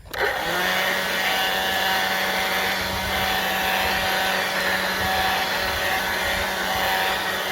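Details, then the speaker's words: Black+Decker 20V cordless blower on a battery just used for edging: spins up fast to steady whoosh with constant thin squeal on top, likely dry bearing; squeal persists despite WD-40 spray. "Now it's squealed. I've sprayed WD-40 in it, and it just keeps going."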